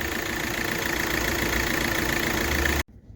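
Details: Hyundai i20 petrol engine idling steadily and evenly with no knock or misfire after the broken wiring on one cylinder's injector circuit was repaired; no fault codes and no check engine light afterwards.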